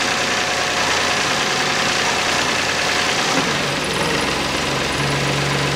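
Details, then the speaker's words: 2009 Toyota Passo 1.0 with 1KR-FE three-cylinder engine, after replacing the timing-side engine mount: even, steady idle hum with no knocks, shudder or vibration reaching the body; normal idle. "Ну всё двигатель работает на холостом ходу вибрации нет видно как двигатель играет на этом"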